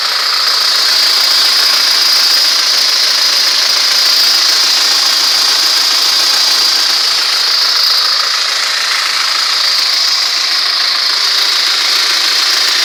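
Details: ZMZ-406 carburetted engine at steady idle: hissy high-pitched rattle with faint quick knocking about four per second; suspicious dull engine knock of unknown origin.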